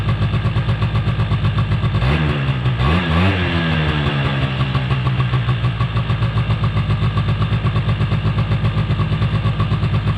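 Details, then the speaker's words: 2005 Polaris Predator 90 after sitting, with a new battery and carburetor air screw adjusted: a fast, steady two-stroke putter stays high after a blip. Spraying around the carburetor showed no leak; cause of the hanging high idle is unknown. "I did tune up the carburetor a little bit more because I believe the last time it ran for y'all, it was high idle was hanging."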